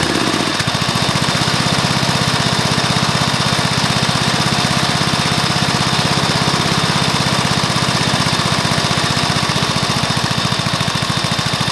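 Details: Probably early-1984 Briggs & Stratton mower engine, first start after new piston, rings and valves to cure oil consumption from loose rings and worn valves: catches within a second, then steady even thump about four beats a second; normal running.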